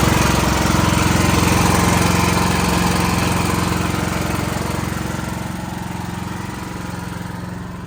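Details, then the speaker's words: Backup generator running during monthly life-safety test after utility power restored, steady even engine drone with constant low hum, no misses or knocks, fading slightly as it settles; normal healthy running. "Anyways, that's a good little exercise for the generator."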